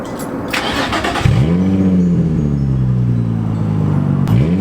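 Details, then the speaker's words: Nissan G35 stock V6 with a broken, leaking stock exhaust scraped into a near straight pipe, after the car sat a long time: starts with a loud flare, deep raspy idle, then a sharp rev blip. "it's just a stock exhaust with an exhaust leak honestly but it sounds it sounds kind of good here i'll start it up for you"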